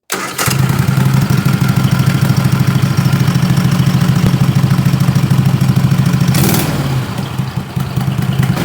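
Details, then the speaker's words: 20 HP Tecumseh twin with dual 34mm PVK carbs after needle clip moved to raise the needle: 20–30 s idle, 3/4 throttle flip, then slow zero-to-half pull over 4–5 s. Stumbles and runs rough; slow pull sounded awful, owner suspects too rich. "I probably went the wrong direction. Especially the slow pull sounded awful and it might just be that it's too rich."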